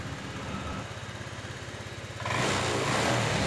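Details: Honda Vario 125 scooter with weak fuel pump pressure found as the cause of sluggish power and stumbling; even idle pulses then clean quick rise to steady strong rev, no stumble or hesitation; normal revving.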